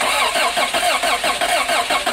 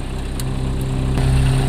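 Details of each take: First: 1986 Toyota van that sat about 5 years, new starter just fitted, cold day, starting fluid used, spark confirmed: steady regular cranking about two seconds, stops without catching; crank no start, owner suspects fuel pump not delivering fuel. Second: 1986 Toyota van, sitting five years, after battery terminal replacement, in gear: smooth, even low idle at about 900 rpm, normal temperature, no knocks or misses; low on power steering fluid.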